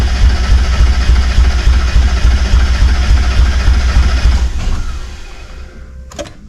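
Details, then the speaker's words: 1991 Mazda Miata, reportedly knocking when parked, after fuel pump relay connection fixed and gas added: steady cranking about three to four beats a second with faint catches, won't run; not enough fuel, injectors 1 and 4 bad. "okay guys uh well it turns out we weren't getting enough fuel"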